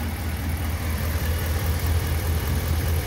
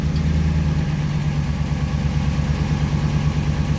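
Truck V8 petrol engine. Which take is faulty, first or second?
second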